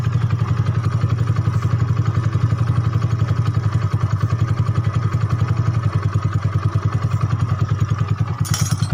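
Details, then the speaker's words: Yamaha Mio bored up to 150cc with new block and bore and standard carb and valves, fresh rebuild: steady, even low putter at idle with no knocks or misses; smooth, though it may roughen when hot during break-in. "Oke Mungkin Nanti kalau udah panas juga agak kasar Biasanya karena tahap endrayen ya karena blog baru maksudnya boringan baru Shaher baru dan harus Dien rayon dulu dan yang masih motor udah halus"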